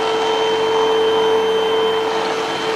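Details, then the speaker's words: Hoover vacuum model UH7103 after clearing clogs in the hose and lower inlet and refitting the filters; smooth steady motor whine with clear even pitch and free airflow: normal running, no restriction. "a lot better than it did before. Should be no restriction."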